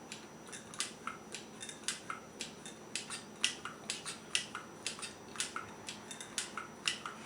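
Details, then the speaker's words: Original Atari CX10 joystick with a Heavy Sixer, about 40 years old: crisp sharp clicks roughly three a second as the stick moves; original mechanical switches healthy. "you hear that clicking that's a good sign that you have an original cx-10"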